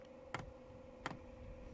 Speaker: n hear is the diesel pump i can't see any diesel in the pipe yet but uh it may take a few times to get a piece of some diesel through